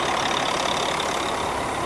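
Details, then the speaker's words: Kenworth T800 semi diesel first started after sitting 7 years: a steady, non-pulsing hiss of escaping air over the idling diesel from an air leak somewhere at the rear. They suspect a particular fitting and pull a yellow handle to check. "Or you can hear the air. Oh, I bet it's coming out of that."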